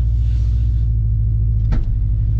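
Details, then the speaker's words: Cheap used Subaru while manoeuvring: low steady rumble with a single sharp clunk as a wheel seems to drag; owner suspects a welded or torn rear differential, and possibly clutch trouble. "ouais c'est le bruit que ça fait oh le pont arrière il est arraché ou quoi"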